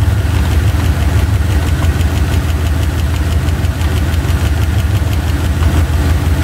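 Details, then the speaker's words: Chevy 350 V8, driver's side valve cover off, engine running at idle during valve lash adjustment: loud fast clacking about three per second fading as the rocker is snugged down quarter/half turns; loose valve lash. "oh that was hammering okay again here we go quarter half stop clacking there it is hammering away"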